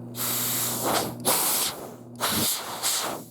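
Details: Oxy-fuel cutting torch tip just unclogged after it got stuck from cutting too close: a strong, clean gas hiss rising and falling in steady bursts with no sputter, now flowing freely. Normal gas flow.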